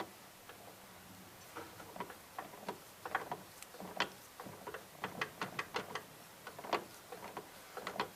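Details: Yanmar SC2450 drive shaft U-joint, reinstalled and checked for a squeak, shaft turned slowly by hand: only light, scattered ticks with no grinding or binding; the joint sounds free, normal rotation.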